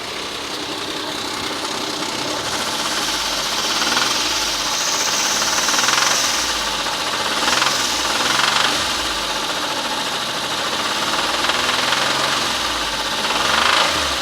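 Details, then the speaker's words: 2007 Mitsubishi Endeavor 3.8 at 195,000 miles, revving: irregular metallic knocking and pinging rising with throttle; owner suspects the never-changed hydraulic timing belt tensioner rather than a rod knock; cause unclear. "see my thought is is because the the banging and the pinion and the knockin isn't constant it doesn't make the same pattern all the time that I'm hoping it's the belt tensioner"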